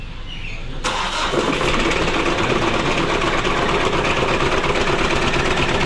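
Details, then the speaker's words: Mitsubishi Adventure 4D56 diesel, noisy after timing belt replacement, rocker arms checked: cranks and catches, then loud harsh clatter over an uneven idle; crank timing found a few teeth off. "So ipaparinig ko sa inyo yung andar nito mga bossing, kung gaano kaingay yung Mitsubishi Adventure natin."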